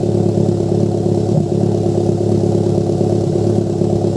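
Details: Toyota MR2 Turbo: uneven idle with irregular exhaust pops and stumbles; misfire causing exhaust popping.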